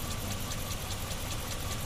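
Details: Dodge Ram 5.7 L V8 idling with an uneven, lumpy beat and regular ticking pulses about five a second. A scan tool shows a misfire; no sensor or electrical fault was found, so a mechanical cause is suspected, unconfirmed.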